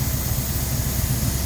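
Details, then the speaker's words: Fuel-injected car on a lift, just started after restoration work with the fuel pump primed and the cooling system not yet full of coolant: steady, even low idle rumble with no misses, knocks or hunting; it starts right up. Normal idle. "so that of course is the beauty of fuel injection is it just starts right up"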